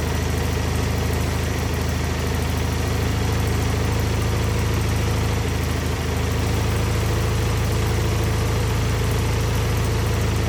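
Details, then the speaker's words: Wheel Horse 520H hydrostatic tractor, long sat, on a weak battery with the solenoid jumped, now running from its own gas tank. Steady, even low thump at idle with a constant firing rhythm and no misses or knocks: single-cylinder engine running healthy. "all right test drive successful I mean it runs great the hydrostatic rear end's working perfect"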